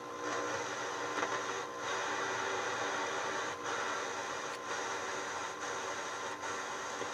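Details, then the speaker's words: Realtone 2437 4-band AM/FM/SW radio on the bench, AM band: only an even rushing hiss with brief dips while tuning, no voices or music, so it works but picks up no stations. Owner suspects the band switch and plans contact cleaner and DeoxIT. "sounds like it's working but it's not getting no stations"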